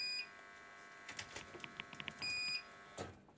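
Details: Jaycar MP5207 UPS after replacing two dead batteries, mains unplugged to test: high, thin beeps over a quiet room while the UPS carries DVR and Raspberry Pi on battery; normal on-battery alarm.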